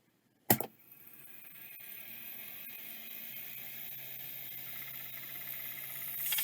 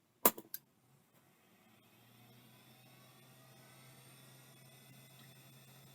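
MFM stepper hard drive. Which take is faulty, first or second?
first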